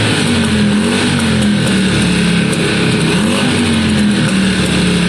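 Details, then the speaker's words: 2002 Yamaha Virago V-twin after carb cleaning, with new coils fitted. It idles steadily on both cylinders with a small occasional exhaust spit, much improved but unchanged by the coil swap; cause of the slight misfire unknown. "It's not shocking, it's idling fine, both cylinders seem to be on. It does have a little spit here and there, but much better."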